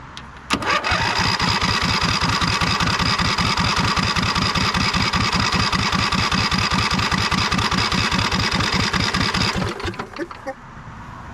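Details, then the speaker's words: 2005 Husqvarna YTH2448 with a Briggs & Stratton 24 hp 725cc V-twin: it fires on starter spray, runs a few seconds with a steady pulse, then dies. It runs only on starter fluid, so fuel delivery is suspect. "Well, it seems like it only ran on starter fluid. See if we can get some fuel to pump through."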